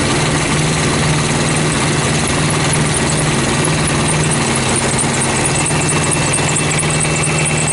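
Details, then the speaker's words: Thermo King APU diesel on a truck, run after start-up with coolant slightly low: steady diesel run with a thin high squeak from a worn AC compressor clutch slipping before it engages. "hear that squeaking noise as my AC cluster it's worn I know it's Warren"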